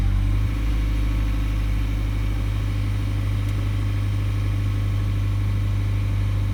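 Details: Toyota Auris Hybrid / Prius at standstill: a low steady hum with a constant whining tone riding over it; whining noise whose source can't be pinned down from the sound alone.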